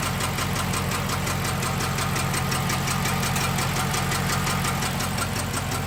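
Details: 6.1L SRT8 HEMI V8: rough, slightly lumpy idle and run with an even quick ticking about three times a second; random cylinder misfire, cause not found.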